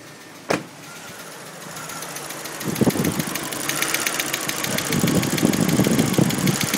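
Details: Audi A4 petrol engine running right after a timing belt job with a fast, sharp ticking over it, roughly four ticks a second.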